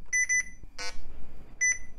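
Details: Retro laptop at startup, hard drive initializing but stuck on POST errors; short high beeps in quick pairs with pauses, pointing to a dead CMOS battery, later replaced with a CR1225.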